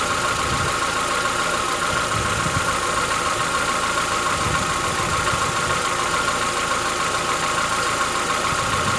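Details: Chevrolet Onix 1.4 (2014-15), cold start on gasoline; fast light tick about two per second over steady idle hum, lasting about 10 minutes, worsening yearly since new. Owner insists it is inside the engine, not injectors, suspects lifter knock; dealers call it characteristic.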